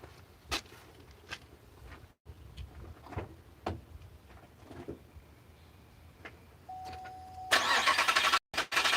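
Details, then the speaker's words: 2006 Pontiac GXP V8 with DOD/AFM, 73k miles, after lifter failure and VLOM plug install: starter churns several seconds, long crank because fuel line was disconnected and rail pressure had to rebuild, then catches and settles to steady, even idle without ticking. "now you'll notice that extended crank that it had that extended craic is because I disconnect with a speedo line so it had to rebuild the feel pressure in the pitot rail aside from that you can see it's running nice and smooth now"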